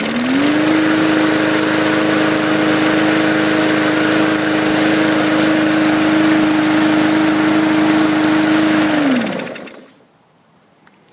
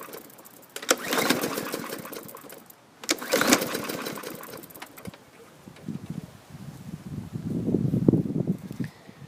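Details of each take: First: 2018 Hyper Tough mower, 300E series 125cc 4.5 HP engine: steady even single-cylinder drone about nine seconds, then winds down cleanly; runs properly after fixing safety bar cable not opening linkage that grounded the coil. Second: 2018 Hyper Tough mower, 300E series 125cc engine, oil overfilled half a quart, fuel present, primed: repeated pull-cord bursts turn it over with compression but it never fires; no spark, coil grounded by safety brake cable.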